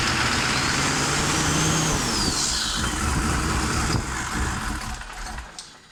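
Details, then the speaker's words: 1993 Chevy 2500 with turbo 6.5 diesel and a used replacement DB2 injection pump: hard start. The engine catches after long cranking, then runs rough and uneven with a hissy top end. The used pump is faulty and needs replacing again. "It is a real pain in the ass to start with this pum"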